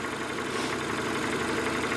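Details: Renault Megane 2 petrol engine, fully warmed up, idling with a dull, light knock under the steady run: piston slap. The owner had been disabling cylinders one by one and blipping to about 1000 rpm to trace the knock.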